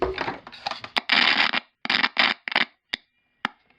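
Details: Estate-sale radio on the public service band: the sound cuts in and out in sharp, scratchy crackling bursts with dead gaps. A dirty switch or volume control needing cleaning is suspected, not confirmed.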